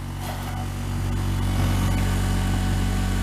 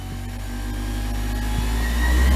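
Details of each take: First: Diamond disc grinder after repair (bolts and screws Loctited), on a table, run from a Variac at about 70 volts: low steady hum with faint table buzz from vibration; normal running. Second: Diamond disc grinder after repair (bolts and screws Loctited), on a table, Variac wound up from about 70 volts: motor hum climbs in pitch and loudness to way too high speed; overspeed from too high setting.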